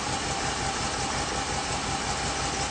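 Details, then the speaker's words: 1987 Chevy 305 TBI truck on first firing running on wood gas only, no gasoline, mixture being adjusted by hand without touching timing; even low rumble, smooth unbroken idle with no stumble; normal idle. "You can hear it pulling as you get as you change it. Oh, look at that. That's without playing with the timing. No. That's it. Running on wood gas only."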